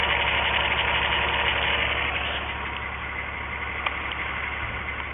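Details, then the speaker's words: 1997 VW Eurovan 2.6 VR6 AES engine, waste-spark coil pack, random misfire codes: rough uneven idle with steady stumble; cylinders 1 and 6 not sparking though coil has power, ground and ECU signal, failed ignition coil. "so we can conclusively say there that our number one and our number six are not sparking yet the coil has power and ground and that the computer is providing the signal that should be commanded at the fire"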